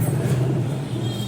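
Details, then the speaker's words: LG 10 kg direct drive washing machine, drum turned by hand with motor removed: low, steady rumble; drum removal confirmed the two drum bearings are worn and making the noise, needing replacement and greasing. "पूरा drum निकालने का बाद में पता चलता है जो problem जो है इसके बेरिंग में है। जो ऑल का नीचे जो दो बेरिंग है ये दो बेरिंग ड्रम का आवाज कर रहा है।"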